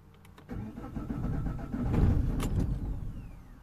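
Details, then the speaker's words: 2007 Vauxhall/Opel Vectra, Z19DT diesel, not starting after engine swap, code P0088 rail pressure present: starter churns about three seconds, engine catches faintly as if trying to fire, then dies; cranks but does not start. "happens okay so you've seen you crank it kind of wants to fire but then it just stops"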